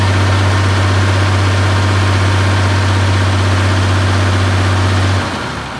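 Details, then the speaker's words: 1972 Massey Ferguson 1100 94 hp diesel tractor, abandoned for a long time, started with starting fluid: even, steady diesel clatter with a deep constant drone, no misses or knocks, then winds down; running properly. "Well, there you have it. She's running."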